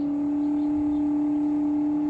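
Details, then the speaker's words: Samsung mini-split outdoor unit running hot-heat mode with a C464 error: the inverter compressor gives a loud, steady droning hum while drawing 4.16 A and rising (max 9.2 A). This is a compressor overcurrent (IPM) fault; the compressor is suspected, and the charge checked okay earlier. "Okay, the compressor's getting loud. It's at 4.16 amps and rising."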